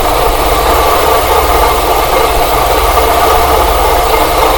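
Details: Whirring rasp from the belt area at idle, heard through a funnel-and-hose stethoscope after oil spray on the pulleys changed nothing; it seems to come from the water pump area, though the pulley shows no deflection. Owner suspects a bad water pump.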